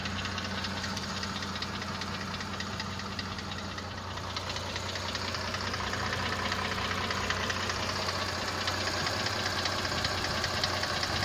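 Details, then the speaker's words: Mercedes-Benz CLS 350 at idle, mic close to lower engine: steady, regular tapping knock about 154 a minute from the bottom end; piston knock suspected, confirmable only by teardown, engine replacement possible. "Судя по всему, слышит поршень."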